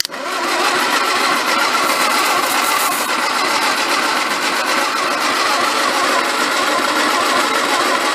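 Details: 1953 MG TD parked 45 years, cold day, plugs reinstalled hand-tight with fuel fed to the intake: steady, even cranking whirr with no firing; starter sounds good but engine won't catch. Plugs possibly oil fouled, suspected not confirmed.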